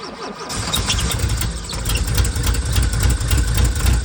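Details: VW Vanagon that broke down, low uneven chuffing while cranking and struggling to catch and settle; long cranking hard start from a failing fuel pump, later replaced.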